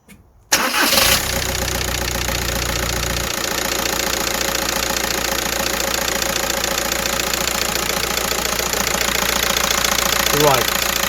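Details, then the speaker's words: 2010 VW Caddy van, 1.9 TDI, which previously struggled to start on cold mornings, cranked after all four glow plugs were replaced: it catches within a second without hesitation and settles to an even diesel idle. "there we go. It did start nicely without any hesitation."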